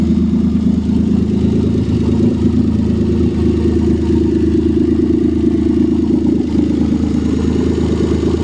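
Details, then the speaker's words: 1989 Dodge Caravan, sitting five years, first start, possibly low on oil, no radiator: loud, raspy, throbbing note with uneven clatter and heavy low rumble; owner suspects exhaust rusted out; loud rough running. "too sounds like the exhaust rusted out since it's been sitting here"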